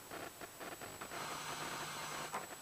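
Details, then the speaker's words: Balanced microphone line of transformers, batteries and cable into a preamp turned up, built to reject fluorescent-light interference; only a faint, even amplifier hiss with no buzz or hum: normal preamp hiss. "now I'm going to turn that microphone preamp up and you won't be able to hear any buzzing whatsoever can probably just hear a hiss from the microphone's amplifier"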